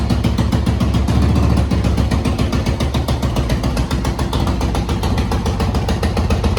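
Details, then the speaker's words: 1986 Honda TRX200SX ATV riding after tank, new petcocks and carb clean with new bowl gasket: steady even single-cylinder thumping under load; runs much better, though seems to starve on reserve. "cool all right maiden voyage on the old TRX it's doing pretty good whatever reason it runs a ton of a lot better heck of a lot better"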